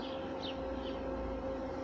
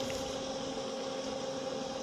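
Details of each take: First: Bestway/Intex above-ground pool sand filter pump, pressure gauge reading very high even after backwashing: steady, strained motor drone at one pitch, very weak return flow; pump laboring against a clogged filter. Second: Bestway above-ground pool filter pump after cleaning the clogged filter cartridge. Smooth, even motor hum with no strain; the pump labours much less, the pressure needle is lower and return flow is stronger than before.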